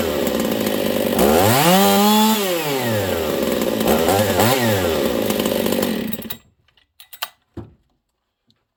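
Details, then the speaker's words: Husqvarna 268 chainsaw: revs up and down, slight bog at the bottom, climbs high and thin without four-stroking after a few throttle pulls, running out of fuel; lean running. "listen for a slight bog on the bottom that's because it's too lean it doesn't have enough fuel on the bottom and then when it gets up top it doesn't four stroke"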